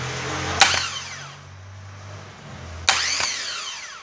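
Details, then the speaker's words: 2009 Chevrolet Agile 1.4 starter motor after lubrication, run on the bench: two short spins, each a sharp kick then a clean whine winding down, no grinding; the earlier metallic noise is resolved. "o barulho de motor de arranque novo é isso aí pessoal"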